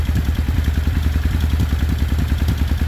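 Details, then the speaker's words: 1995 Suzuki Intruder 800 V-twin, first start after 13 years of storage, electric fuel pump. Lumpy, even loping idle, firm pulses about three to four per second, no misses or clatter; runs healthy, though the top carb is suspected out of sync. "it's healthy. It sounds good. I think the top carb is not in sync."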